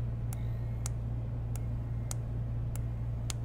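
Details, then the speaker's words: Digiflavor Helix box mod firing: sharp dry ticks about every half second over a steady low electrical hum; suspected from its step-down/PWM chip circuitry, like a MOSFET, not confirmed. "Wow, that is the weirdest sound I have ever heard come out of a mod."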